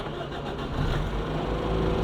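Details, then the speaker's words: Toyota Echo with immobilizer security no-start, after fix security light off: short crank, engine catches cleanly and settles to even idle; normal start. "so the car has been started everything come normal there is no more security"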